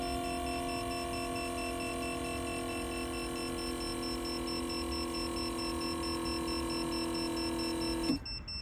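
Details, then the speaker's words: 1975 Volvo 164 EV conversion (NetGain HyPer9 motor), firewall-mounted rotary electric brake vacuum pump on 12 V test, hose to tank: steady quiet even hum, stops cleanly near eight seconds on reaching vacuum; running normally. "cool it's quiet too cuz it's a rotary style pump there a lot of vacuum this little guy"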